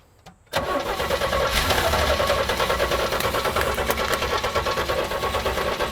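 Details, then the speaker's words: 1983 GMC Sierra, 250ci straight-six, 4-speed OD, sat 17 years, fitted with a fresh distributor cap, rotor and plug wires. It cranks, catches sharply and runs ragged for seconds on carb cleaner only, with no fuel supply. "yeah that cleared it right out all right so we heard it fire up sounds good for one second at a time"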